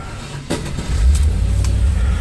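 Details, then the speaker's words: Land Rover 4.0 V8 that stalled after warm-up, fixed by clearing a blockage; click at startup, then a low steady rumble without dipping or stalling; normal idle after the fix. "at rpm so apparently there was some blockage in there and that took care of the problem so it's idling pretty good"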